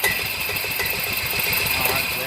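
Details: Club Car gas golf cart after its bad solenoid was replaced, throttle pressed during solenoid voltage test: small single-cylinder engine chugs evenly at roughly eight pulses a second with no misfire; runs normally.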